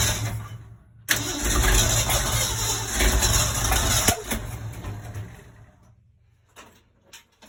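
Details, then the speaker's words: 1965 Ford Econoline 100 pickup, long-sitting and previously tinkered with: cranks, then stumbles and sputters unevenly about three seconds before dying; rough running from wrong firing order, number 1 and 2 plug wires swapped on the cap. "From the looks of it, we have maybe some kind of timing issue on the motor. Maybe the firing order's off or something of that nature."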